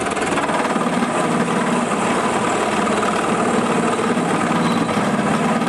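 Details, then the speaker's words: Small benchtop import drill press being bored with a cast-iron part after its plastic pulleys were replaced: continuous harsh rattling chatter at higher speed. A worn lower bearing is suspected, not confirmed. "Oh sounds like you got another berry problem on that lower bearing I'm sure"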